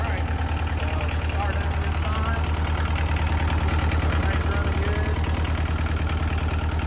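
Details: Bobcat 743 diesel just after fuel filter replacement and priming: catches and settles into a steady, even knock about three beats a second with no misses; healthy idle.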